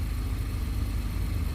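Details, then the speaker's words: Acura (MDX/RLX/TLX/RDX) running after remote start just programmed with an Autel scan tool: steady, even low rumble with no knocks, misses or squeals; engine idling smoothly and healthy. "good to go. You hear the car running. Good to go."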